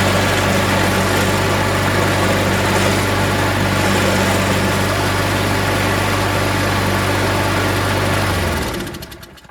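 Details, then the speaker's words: Craftsman 22" mower, Briggs & Stratton Quantum 6.75 auto-choke engine, after carb cleaning, started on second pull: steady even beat of about four pulses a second then cuts off; some smoke, suspected oil burning out of the muffler. "As you saw, it started on the second pull."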